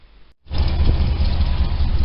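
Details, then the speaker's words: 1972 Chevy V8 on a freezing day (under about 20°F), before a planned partial engine rebuild. Loud, lumpy idle with a light ticking under the rumble: a noisy lifter. "You can definitely hear that lifter."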